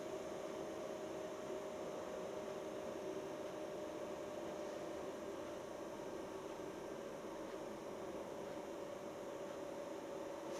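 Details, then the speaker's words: Portable diesel heater at startup, not yet burning fuel. A steady, even fan rush with faint constant hum tones and no rattles; the blower spools up normally on startup. "it takes it or at least it took you that one four five minutes to get itself going fan starting to spool up now"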